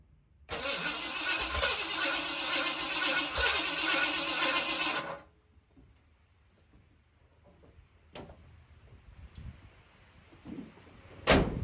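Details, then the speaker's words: Mildly built 351 Windsor swapped into 1980 Ford F-150, carbureted: about five seconds of even cranking that never catches; fuel pump suspected not delivering; crank no start. "I'm wondering if my fuel pump put working I hope not let me stick something down that choke"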